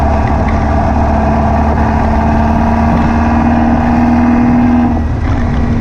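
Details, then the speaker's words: Air-cooled VW beach buggy after new plugs, leads and distributor arm: revs with an uneven, stumbling beat and a dip near the end. It still misfires and pops under acceleration, and the owner suspects overfuelling. The cause was a blocked idle jet in one carburettor. "as you can hear from it running it's misfiring still I think it now maybe over fueling I don't know"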